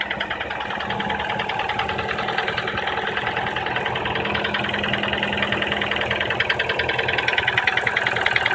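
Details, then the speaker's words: Nissan Teana J31 QR20DE 2.0, 180k km, 5W-40 oil, cold idle: metallic knock about twice a second, strongest around 1500 rpm, lasting until warm; chain, tensioner replaced, valves in spec, VVT cleaned, coils unchanged; cause unknown. "пробег у нас 180 на холодную появляется характерный стук и продлевается вплоть до момента прогрева двигателя"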